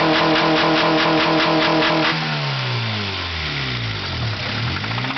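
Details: 1992 Acura Integra DB1 engine: hard rhythmic knocking at idle continuing as revs rise and fall; rod knock, worn rod bearing about to throw a rod before an engine swap.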